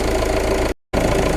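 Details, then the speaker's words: Peugeot Partner 2.0 HDi 8-valve diesel idling after alternator replacement with heater blowers, headlights, fog lights and heated rear screen on; steady even clatter, charging 14.17–14.18 V, under 0.1 V drop; normal idle under electrical load. "I don't know if you can hear it, but now they've got the heater blowers on, headlights, fog lights, a heated rear screen, everything."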